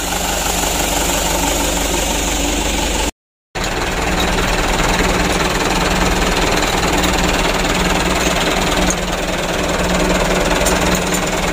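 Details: Mitsubishi Canter diesel truck after replacing the injection pump plungers for a hard-start problem: steady diesel clatter with an even beat and no misses or surging. It now starts and idles properly, with idle adjustment ongoing to reduce engine shaking.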